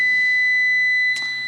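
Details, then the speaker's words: Corvette starter check with a Fluke meter on ohms: 12 V is present at the starter power post, and the starter signal post gives a steady continuity beep, showing a short to ground. With the wire removed, the fault is confirmed to be the starter post itself. "That, I'm sure you can hear, has a connection to ground, which is weird."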